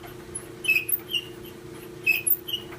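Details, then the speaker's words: GE dryer running: paired high chirping squeaks over a steady motor hum as the drum turns, from worn plastic drum glides; idler pulley was first suspected. "I thought initially the idler pulley needed some wd-40 that may be true but there are also some little guides that the dryer drum rides on"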